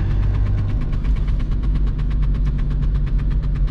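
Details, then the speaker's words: VW Golf Mk3 1.9 TDI 90 hp (1Z) diesel on the road under throttle: a steady flapping tick about nine times a second over the diesel drone, like a card in bike spokes, from the handbrake cable rubbing the rear tyre. "do you remember when we were kids we were using such uh plastic glasses to put on the wheel of our bikes in order to have this sound and i'm having it now in my goal"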